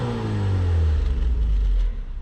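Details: Rebuilt Mazda MX-5 NC Mk3 1.8 engine, rebuilt for piston-ring oil consumption, with new exhaust manifold fitted, first run after rebuild: a clean blip that climbs smoothly and drops back without rattles or popping; engine revs freely and sounds healthy.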